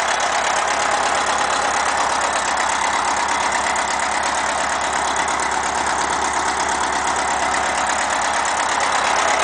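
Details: VW Beetle with a new air-cooled engine at idle: a light, fairly regular tap, about two per second, over the fan hiss. Source of the tapping unknown.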